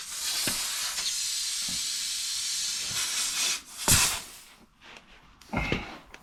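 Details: Old motorhome of unknown year, on a jump pack: steady high-pitched hiss for about three seconds, then bursts and fades as hands move around; air escaping from a hole that was found.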